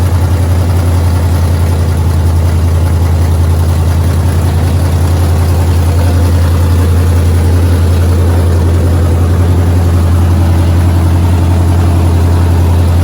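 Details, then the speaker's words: 5.7 Hemi with long tube headers, just reinstalled after a performance cylinder head swap: deep steady V8 idle with a rapid puffing tick on the exhaust note, an exhaust leak at the long tube headers. "As you can hear, I have a exhaust leak. The exhaust leak is at the long tube headers."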